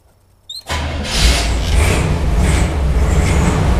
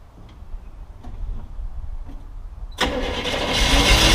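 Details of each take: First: Jeep CJ-7 with a Ford Motorcraft carburetor, started after sitting about a week. Brief crank, then it catches at once and settles into a steady, even idle with no stumble. Healthy cold start. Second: Jeep CJ-7, started on fuel poured into the carburetor in cold wind. A few clicks, then it catches and runs rough, stumbling at idle with a dead cylinder. Misfire from a disconnected spark plug wire.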